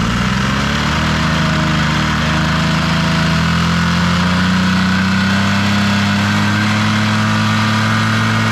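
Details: Vintage Honda Squash (AB11-1064) 12V scooter with electric start, revving: smooth, even running, pitch climbing cleanly as the throttle opens, no knocks, rattles or ticks; no abnormal engine noise, healthy revving.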